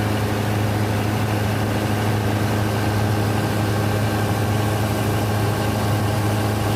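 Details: Denyo DCA610SPM diesel generator that would not start, after magnetic pickup and its wiring checked good (about 1.3–1.4 ohms); now starts and idles steadily with a smooth low drone, no knocks, misses or hunting.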